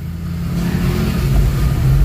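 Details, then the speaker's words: Toyota RAV4 after repairing wire that caused crank-no-start: engine starts, low steady note picks up and holds without misses or stalling; normal start. "Ayan, umandar na. Okay, so check natin yung engine bay."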